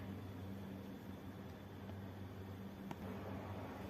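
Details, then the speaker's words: Star X 98 Super satellite receiver, plugged in before opening, won't power on and only makes a faint steady buzz-whine over a low hum from the supply, suggesting failing power-supply filter capacitors; liquid found spilled inside once opened. "دوستان نگاه کنید الان تسکو توی برق قبل از اینکه بازش بکنیم یه صدایی میده اگه بشنوید یه صدای خیلی ویزویزی میده و دستگاه روشن نمیشه نمیشه نمیشه فقط صدا میده روشن نمیشه"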